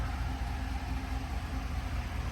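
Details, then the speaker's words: Chevy Silverado V8, idling around 600 rpm on first start after cylinder 5 misfire repair (worn cam); live misfire counter now zero, former idle shake gone; low steady rumble, no stumbles, normal idle. "there's my live RPM I link it right right around 600 RPM but remember we had cylinder five right seven five live current misfire there's nothing there anymore so that took care of it"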